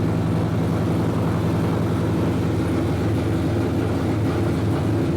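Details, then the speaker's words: Dodge SRT8 Challenger idling just after installing 1 7/8 in American Racing longtube headers: deep, steady V8 idle with a slight lumpy chop in the exhaust, even and unbroken; normal healthy idle. "Got a little chop to it. That thing sounds great. Totally tell the difference."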